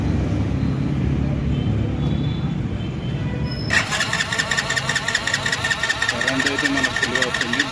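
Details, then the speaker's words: Hero HF Deluxe BS6 motorcycle: after a quiet spell the starter cranks at a steady, rapid churn but the engine never fires; fuel not reaching the cylinder, fuel injector fault. "కానీ bike start అవ్వడం లేదు. Fuel ఇంజెక్టర్‌లో సమస్య ఉంది."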